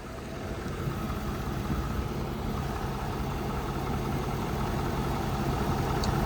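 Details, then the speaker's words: 2012 Ford 6.7 diesel truck idling after alternator replacement and EGR valve and filter cleaning: low, even rumble with no knocks, squeals or belt chirp; belt moving well, no codes, normal idle. "But so far, everything sounds good. No codes or nothing."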